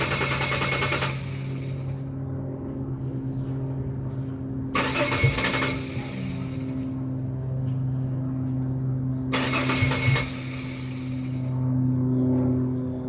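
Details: 2001 Ford Ranger XLT 4.0 V6, morning start: the starter whirs at an even pitch with short surges but the engine never fires. It takes about a minute of cranking; many fuel and ignition parts and sensors were replaced; cause not found.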